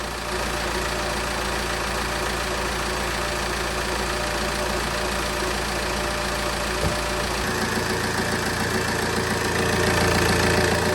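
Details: Opel/Vauxhall Vectra 1.9 CDTi 150 Z19DTH diesel, first start after timing belt and tensioner replacement at 139,471 on the odometer: even, steady idle with light diesel clatter, no misses or knocks; normal idle.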